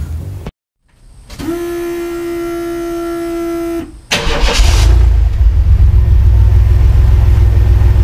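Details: 1994 Chevrolet S10 Blazer 4.3L V6 with a newly installed 2.5 Cherry Bomb Salute muffler: a brief cranking whine, then a deep, even exhaust rumble with no rasp or leak hiss.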